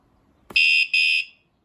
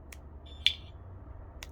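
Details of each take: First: wsdcam 113 dB wireless vibration motion motorcycle alarm, armed and bike lightly moved: a bump, then two short shrill beeps about a third of a second each; normal movement warning chirp before the full siren. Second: wsdcam bike alarm, claimed 113 dB, with back cover removed after one day on a motorcycle: only a few faint short high-pitched chirps barely above room noise; siren far too quiet, cause unknown.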